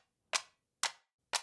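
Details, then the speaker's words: New short Turkish bow being drawn: three crisp, bright clicks about half a second apart as the string snaps over a sharp little corner on the bow, to be fixed. "And I had a little noise there which comes from a little corner here. I don't like it."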